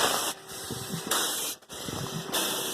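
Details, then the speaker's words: Small portable steam engine warming up with drain cocks open: slow hissing chuffs about a second apart with a wet sputter and glugging in the exhaust, as condensate works out of the cylinder through the valve, exhaust passage and stack. "You're going to hear the exhaust is glugging a little bit because some of the condensate's working its way out of the cylinder through the valve, into the exhaust passage and up the stack."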